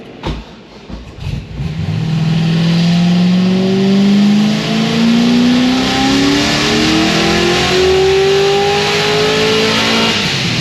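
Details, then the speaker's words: Supercharged LS7 on the dyno: engine note climbs smoothly to the top with no stumble, no longer breaking up high (previously broke up around 6300–6400 rpm); healthy full-throttle pull. "806 683 but obviously not breaking up anymore up high"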